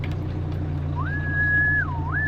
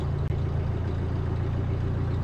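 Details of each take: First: 2018 Bobcat E26 mini excavator diesel, 1869 hours, started after a battery replacement and sitting about a month: engine runs rough, owner suspects fuel drains back and starves it briefly after standing. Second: 2018 Bobcat E26 mini excavator diesel at 1869.4 hours, first start after battery replacement and a month unused: low, uneven, lumpy idle, running a little rough. Owner suspects fuel drained back, briefly starving it.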